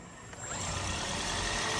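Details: 2015 Toyota Corolla Fielder hybrid wagon after misfire fix with used replacement engine (old one had scratched cylinders, low compression): petrol engine revs up smoothly and evenly, no rattle or knock.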